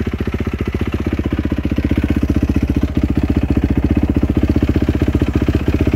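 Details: 2007 Yamaha YZ450F four-stroke, first start after a new cam chain and tensioner, valve clearance adjustment and a new FMF PowerCore 4 muffler: crisp, evenly spaced single-cylinder pops at a steady fast idle with no top-end clatter; normal idle.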